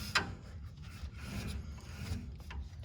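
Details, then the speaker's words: 1955 Chevy being checked for a screeching wheel: light, soft scraping as the brake rotor is turned slowly by hand, just the brake pad moving back and forth in the caliper, which is normal. "The little noise you hear there, all that is just the brake pad moving back and forth."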